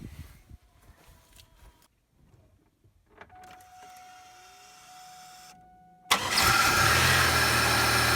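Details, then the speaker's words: 2002 Pontiac Grand Prix, 3800 Series II V6, just after replacing the idle air control motor: one short crank catches almost instantly, within about one compression stroke, then settles into a steady, even idle. Normal start and idle. "so clearly the car starts okay in fact it started creepily fast actually i think one compression stroke and she was on her way so that's awesome"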